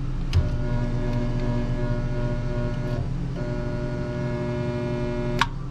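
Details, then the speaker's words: Cook fresh-air intake/exhaust fan motor, whose motor starter (contactor with overload heaters) struggles to pull in: loud steady electrical hum with no spin-up and clicks at start and stop; locked rotor, motor likely dead, drawing 38 amps. "motor's humming all right hold on a second this might be a dead motor"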